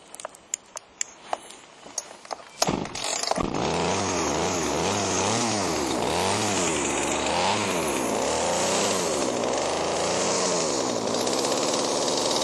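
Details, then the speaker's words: Chainsaw: fires after a few pulls and runs with pitch rising and falling about four times a second while the carburetor is adjusted; idle control screw had been frozen. "it cranked so i'm gonna put it all back together crank it up and adjust the carburetor and make sure it's running okay so"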